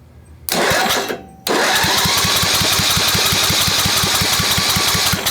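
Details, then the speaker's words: Old Craftsman 10hp Tecumseh riding mower, rebuilt water-damaged engine, compression test cranking: steady even pulses about four a second; near 75 psi, enough to fire; air escaping blamed on messed-up valving, valve leakage doubted. "we're close to 75 that's enough to light it off and it'll probably wake up more so you're seeing it uh the air come out because like I said the valving is messed up"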